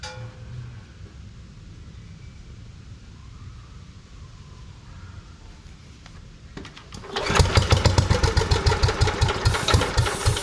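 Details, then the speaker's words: Lincoln Weldanpower welder-generator with a Briggs & Stratton 16 hp engine, sat outside about three years, with a little fresh gas and a hardened fuel line: quiet pulling, then uneven chugging that never settles; fuel suspected not to be reaching the carburetor; hard starting. "'s trying to start but I don't think it has enough fuel I don't know if the fuel is even getting into the car"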